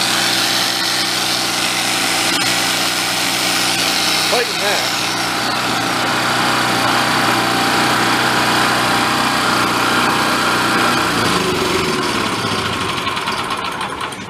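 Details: Vintage Coleman Powermate 1500W generator, revived after apparently sitting: high buzzy note holds steady while carrying electrical load, then winds down; copes fine under load.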